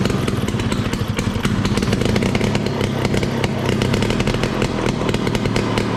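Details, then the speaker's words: 1968 Ski-Doo Super Alpine with Rotax 370 two-stroke, open pipe with muffler off, after fitting cheap fuel line in place of the expensive line: crisp, rapid crackle that picks up cleanly without sputtering. Normal revving after the fuel line fix. "Next time that I contemplate spending, $75 for 25 feet of gas line, I'm going to think again, because sure enough, just putting the cheap stuff back on fixed all my issues."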